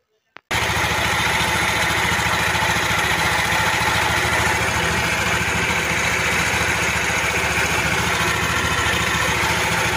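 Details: Yamaha NMAX V1 scooter idling before repair: busy metallic ticking and clatter inside the engine, later fixed with a top overhaul.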